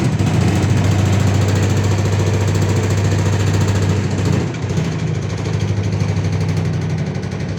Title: automatic washing machine vibration problem